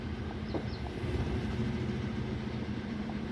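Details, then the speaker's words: Hyundai i10 with heavy vibration and check engine light on: uneven lumpy idle with irregular low thumps and shaking rhythm; engine misfire, scanner later shows misfires on cylinders 2 and 3. "तो गाड़ी में vibration बहुत ज्यादा है engine misfire कर रहा है"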